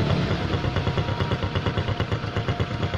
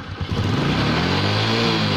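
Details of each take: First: Honda Supra X125 idling smoothly after repair: even, steady putter with regular firing beat, no rough snoring; earlier snoring noise traced to a cracked head breather hose at the clamp disturbing the membrane vacuum. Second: Honda Supra X 125 idling rough: uneven, snoring low beat instead of a smooth hum, caused by a cracked engine breather hose leaking air right at the clamp.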